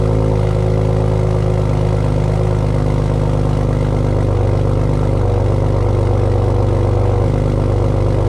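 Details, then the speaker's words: 2008 BMW 335i E92 with FI exhaust, cold start: deep, steady burble with slightly lumpy exhaust pulse, no knocks or rattles; healthy cold idle. "Sounds really good. Sounds really, really good."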